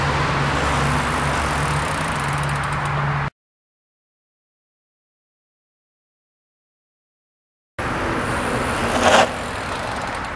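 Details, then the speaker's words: Mountain bike disc brake stop during bed-in after restoring contaminated pads: tyre roll and dirt noise, then a short stop with the earlier squeal gone; braking power still low at first, coming back after repeated stops. "okay so you'll notice when I did that that squeaking noise is gone I still don't have a lot of power going to repeat this nine more times and my power should start to come"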